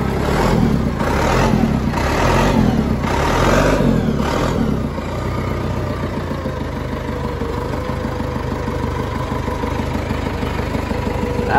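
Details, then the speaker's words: 20+ year old John Deere 555 bulldozer diesel, sitting unused for many years, fired up after battery charging: rough start settling into a steady, even diesel beat of about three firings a second; running normally. "look at this guys this is awesome we got it started it's sick"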